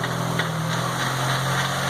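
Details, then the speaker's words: MK2 VW GTI converted from fuel injection to four Yamaha R1 motorcycle carbs, at a steady, even idle with a clean low hum, no stumbles or rattles, before its first drive; not smelling rich, sounds good. "you're good sounds good there you hear that it sounds really good"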